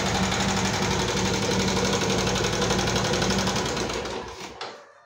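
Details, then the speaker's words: 2014 Yamaha Jupiter MX carburetor model, complaint of a rough engine: steady fast ticking, about four clicks a second, over the running engine before shutdown; top-end ticking, cause not yet confirmed. "Seperti apa suaranya, ngeletek-ngeletek, kletek-kletek, seperti itu ya teman-teman ya."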